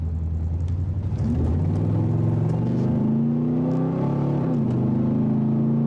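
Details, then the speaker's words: Vortec 8100 8.1 V8 in a Silverado under acceleration: a deep note that climbs slowly and choppily, with poppy stumbles and little power. It misfires and backfires, with a weak, falling idle. "you can hear misfiring when you accelerate this acceleration is slow and not smooth and kind of just poppy"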